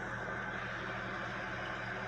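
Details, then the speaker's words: 2006 Hyundai Accent 1.3 Admire at 167,000 km idling with the clutch pedal pressed: belt-like steady whirring that stops when released; mechanic says the original, never-replaced clutch release bearing is faulty and needs replacing. "Debriyaja basınca bir ses geliyor. Bırakınca gidiyor."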